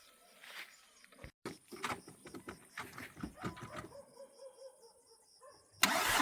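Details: Škoda Superb idling unevenly with stumbling pulses and missing beats, running on 3 cylinders; compression test done to find the cause.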